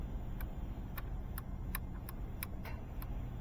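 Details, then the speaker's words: Starter jumped across the two pins: sharp clicks, about two a second, with no cranking, pointing to a bad starter. "You can hear the starter clicking when I jump it here."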